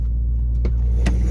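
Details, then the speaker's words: Dodge Hellcat after exhaust rattle fix, lowering springs removed: steady, even V8 idle with no metallic rattle underneath, only faint spring noise far back; no check engine light. "It's no freaking rattle. Thank the Lord."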